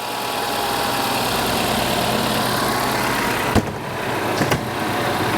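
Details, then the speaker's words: 2024 Mazda CX-90 3.3L inline-six idling after spark plug replacement: steady, even low hum with no misses or knocks, no check engine light; running fine and smooth, normal idle. "Seems to be running fine. I do not have a check engine light. See that? See? Okay. Yeah, she's running great. Nice and smooth."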